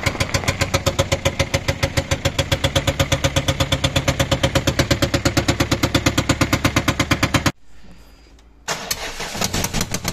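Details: Fiat Scudo 1.6 HDi diesel idling with a loud, fast, even valvetrain clatter; worn rocker arms and hydraulic lifters, fixed by replacing 16 lifters, 16 rockers and camshaft.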